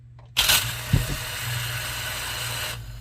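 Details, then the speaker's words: Bump test of a good used submersible well pump with new Stay-Cons before installation: brief clean start then steady, even motor whir, no grinding or rubbing; spins freely, healthy. "Spins like a champ. Good deal."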